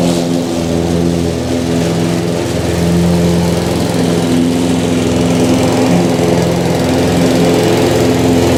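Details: Harbor Freight 173cc mower engine, oil changed 2-3 weeks ago: steady even drone at slightly lowered speed, no knocks or misses; sounds healthy.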